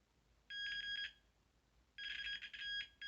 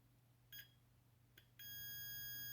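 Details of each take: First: After resoldering a joint on the gas valve of a Carrier Weathermaker gas furnace, the continuity meter holds a clean high beep for each probe contact without pressure, so the repaired joint conducts steadily. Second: Continuity test on a gas valve circuit board pin of a Carrier Weathermaker gas furnace with an intermittent fault: no tone on a light touch, then two chirps and a one-second tone only when pressed, from a cracked solder joint.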